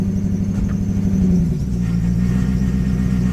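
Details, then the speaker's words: Neglected 2002 Lexus SC430, misfiring with codes: uneven, lumpy idle with a thin squeak on top from squeaking belts; misfire, and bushings suspected to be needed. "the noise there squeaking belts misfiring and something's going on with the you can tell there's definitely some bushings needed for this vehicle"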